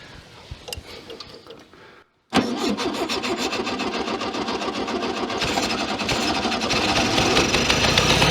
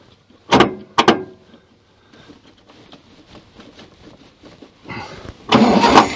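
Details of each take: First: 1966 VW Beetle that has not run in over 10 years in a junkyard, running on old fuel mixed with two-stroke oil: it cranks freely and evenly at about 3.5 turns per second for ten seconds but draws no fuel and never fires. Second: 1966 VW Beetle, starter hot-wired from the battery after earlier weak cranking. Sharp clicks and a pause, then the starter spins the engine strongly and briskly; normal cranking.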